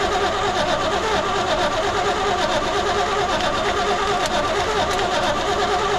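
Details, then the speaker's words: 1972 Chevy C20 pickup stored over 20 years, fuel squirted in; starter turns it slowly and unevenly, about once a second, never fires; owner suspects lifters bled down losing compression, unconfirmed; crank no start. "well sometimes when they sit this long the lifters bleed down and you lose compression"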